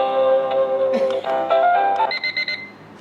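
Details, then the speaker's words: Driveway motion alarm receiver used to guard a Jeep against theft, with selectable alert tones: a bright melodic chime, then a run of quick repeated beeps signalling motion detected at the sensor. Reception still worked about 100 ft away. "so you can change the audio tone right like if I change this some of them are really happy and for me this is like your vehicle's getting stolen"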